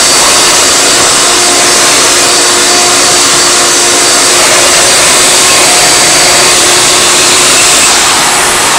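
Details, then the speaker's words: Hoover Elite vacuum motor with brand new bearings, fitted to a Futura and already run for 10 minutes: smooth, even high-pitched roar with a steady tone and no rumble or rattle; motor runs healthy. "I had the thing running for 10 minutes, seems to sound fine to me. Don't know why it would sound bad anyway, got brand new bearings in it."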